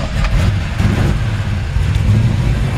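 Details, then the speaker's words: 1954 Ford F-100, still cold, good oil pressure: deep steady rumble with lumpy low thump and throttle blips, running even and strong; owner thinks timing may need adjusting due to occasional hesitation on cranking. "Good oil pressure. It's still cold, so take a second to crank up."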